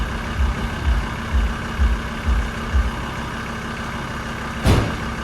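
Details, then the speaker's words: Barn-find Mk2 VW Golf on jump leads with weak battery: slow, labored cranking, about two compression pulses a second, no firing; oil pressure light went out but no start yet; cranks but won't start. "Well, that's a no at the moment. But oil pressure light went out, so that's a good thing."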